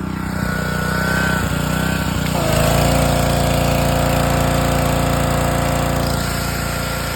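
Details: Honda-engined gas power washer, about 5 years old, after replacing six gummed-up pump water seals to fix a leak at the brass fitting. Engine catches and settles into a steady, even drone with constant pump hum, no surging: running properly.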